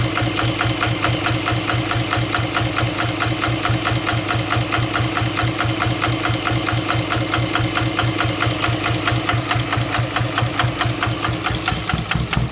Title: 24V Cummins Misfire!!!! INJECTORS???